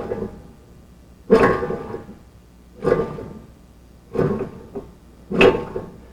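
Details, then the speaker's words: 1998 Nissan Maxima front hub rocked by hand before bearing replacement: four distinct hollow clunks about a second apart from heavy play; badly worn front wheel bearing. "I don't know if you could see very good in the other video, but that's how much slop is in that bearing. That is very, very bad."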